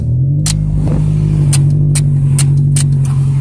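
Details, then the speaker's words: 2002 Toyota Corolla LE, four-speed automatic, bad motor, 112,000 on the odometer, check engine light flashing: at full throttle the engine drones low, barely climbs, sounds strained and doesn't want to go; engine struggling to rev. "Oh check engine lights flashing see the air works I think you know is cuz it's strolling that's full throttle it's now no I doesn't really want to go"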